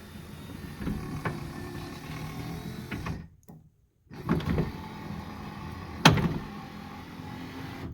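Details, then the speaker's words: 1979 Lincoln Continental passenger front power window after motor/regulator repair: steady motor whir with a few soft clunks near travel ends; slight clunk remains but far better than before. "still got that a little bit of clunking sound which nowhere near as bad"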